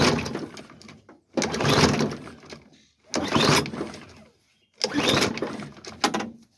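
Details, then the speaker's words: Hyper Tough push mower with Briggs & Stratton engine, found by the roadside: three pull-cord bursts each rattling a second or so without catching, even with brake cleaner sprayed in; fuel starvation. "all right no it's a fuel issue so let's let's tear down everything"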